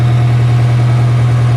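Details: Nissan S14 Silvia, first start in a long time after valve cover gasket reseal and new power steering pump: deep, steady, even idle hum with no misses, knocks or ticks; normal idle.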